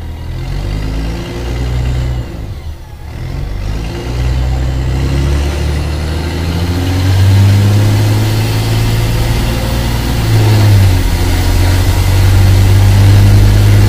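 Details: Mercedes-Benz O-500MA bus, VB Transportes no. 1562, diesel: deep rumble building with revs, carrying a rough puffing chuff about three a second from a holed, leaking exhaust.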